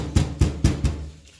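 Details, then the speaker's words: 1971 Cadillac Coupe Deville 472, removed fuel tank shaken by hand: four heavy hollow thuds about four a second, then fading; something loose inside the tank, owner suspects internal steel construction came loose, suspected source of rear rattle at red lights. "I don't know why that's rattling like that I don't know if the steel construction inside the tank is let loose or what that's just really bizarre"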